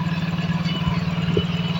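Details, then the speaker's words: Yamaha Mio J / Soul GT scooter (injected), brought in for hard starting, sputtering and unstable rpm, just after injector cleaning: steady fast pulsing putter idling too high and not dropping back; adjustment screw suspected, to be set later. "ini RPM kegedean ya Nah kemungkinan baut ini ya nanti kita benerin mas ya ini ee bisa di-etting"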